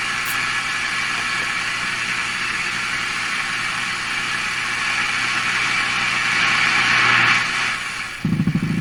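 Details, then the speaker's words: Pye Model 39HC radio after a volume control replacement, while changing wiring: loud, steady buzzing hum with a fast flutter swelling toward the end; oscillation that changes with volume setting, another oscillation suspected, cause not pinned down. "turn up the volume something happens turn it back down something goes away even though you can hear the guy talking the whole time so I think there is another oscillation in there still"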